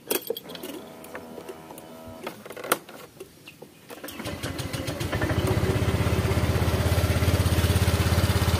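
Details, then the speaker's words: Honda Vario 125 scooter that once ran dry of oil, burns oil: at idle and off throttle a rough, gravelly rattle from the CVT belt drive, suspected worn roller housing. "Oke bagian cptnya ada suara kepericik ya pada waktu Los gas nah ini suaranya kedengaranik kayaknya suara rumah roller"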